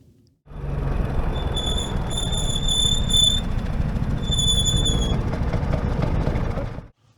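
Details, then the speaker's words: Vespa GTS 300 SuperSport at 6800 km, recorded while riding: loud piercing squeal on braking, traced by service to the brake shoes, which still had plenty of lining. "und beim ähm Bremsen beim Abbremsen dann gab es ziemlich laute quetschgeräusche"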